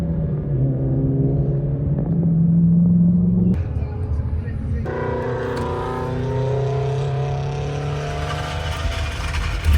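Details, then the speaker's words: Track car after loose oil filter and sandwich plate leaked oil and were retightened: engine fires and settles into steady, even run with smooth low drone, oil pressure present, no significant leaks; normal running. "We have oil pressure. Looks okay. Just burning off some oil here. No significant leaks."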